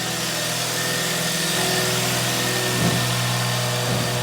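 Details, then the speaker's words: Hyundai i30, 195,000 km, after full engine overhaul for heavy knock, diesel-like running and oil use: steady, even idle with smooth low hum, no knocking or ticking; earlier noise gone. Normal idle. "работает ровненько чистенько все хорошо я не был от нет такого деления как было раньше однозначно"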